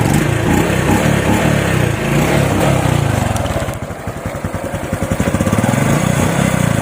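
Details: Honda RS125 Fi motorcycle, previously slow to rev on throttle, after replacing defective spark plug cap: picks up cleanly with crisp even revs, no coughing or stumbling; healthy revving.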